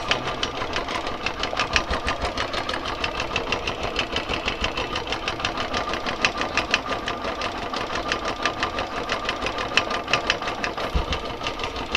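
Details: Royal Enfield Classic 350 single-cylinder at 17,334 km idling with fast sewing-machine tapping, attributed to worn timing gear and camshaft bushes; worn cam gear to be replaced with original part.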